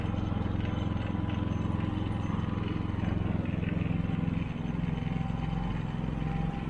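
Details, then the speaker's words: Harbor Freight Predator generator running outside just after an oil change with ZDDP oil and a magnetic drain plug: steady low drone with an even fast pulse, no knocks or misses. Normal running. "Everything looks good and sounds good. So we'll let that run for a couple of minutes."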